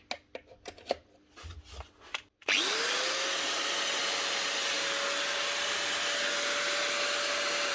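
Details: 2009 Metabo WHR 115 4.5-inch angle grinder after fitting a new lead and reusing the old plug: a few clicks, then the motor spins up to a clean, steady high whine with no rattle or grinding; back up and running, healthy.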